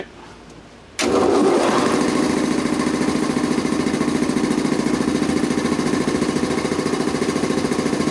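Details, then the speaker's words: Quincy model 325 air compressor after rebuild (cylinder head cleaned, valves rebuilt), test run: it kicks on and settles into a steady, even pumping beat of about three and a half strokes a second, with no knocks, rattles or discharge-valve leak click. Healthy. "you'll actually hear click noise but this one here in this case looks darn good"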